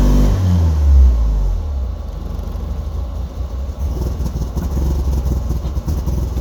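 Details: Porsche 944: deep, steady churning of about two and a half beats a second keeps going but never picks up into a run; cranking, no start.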